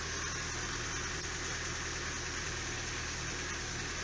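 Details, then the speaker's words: Daewoo Lanos after the injectors were cleaned and reinstalled and the spark plugs checked for spark: smooth, even idle with a steady low hum and no ticks, knocks or stumbles. The fault, injector or plug, appears fixed. "Попробуем, что завелась, как слышите. Все работает, свечи работают, никакого у нас лишнего постороннего звука нету."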